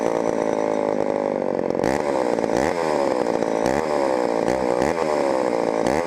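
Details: Homelite Super XL chainsaw on first start after auction, old non-ethanol boat fuel: two-stroke buzz stumbles and flares unevenly off throttle; lean on the low-speed mixture, needs adjusting or the carburetor diaphragm may soften.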